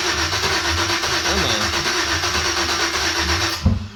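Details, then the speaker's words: 1989 Chevy S10 Blazer with 2000 Silverado 5.3L LS swap, NV3500, first start attempt, fuel primed to 50 psi, no O2 sensors or MAF connected: starter churns, fires briefly, won't keep running; later traced to bad cheap crank sensor. "ooh little yeah little flame so I don't have the O2 sensors hooked up or a mass airflow so it's not going to be happy"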